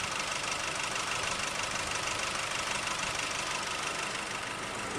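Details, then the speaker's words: 2008 Nissan Navara D40 2.5 common-rail turbo diesel at idle: hard, slightly uneven clatter and rough running, with black smoke and no power when cold. Compression tested even; an injector cut test pointed to a faulty number one injector. "we can go by the by the crank speed and see how much that changes so I'm pretty happy to come P out number one injector"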